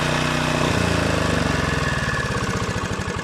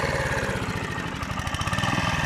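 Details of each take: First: Honda GV150 single-cylinder engine test after rebuild, transmission not yet reassembled. Steady fast chugging beat that pulls up cleanly and smoothly when opened up, fairly round on acceleration. Normal running. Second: Rebuilt Honda GV150 mower engine (transmission still disassembled) thumps along with a beat swelling and sagging unevenly as the carburetor runs out of fuel, fuel starvation; owner expects it to stall soon.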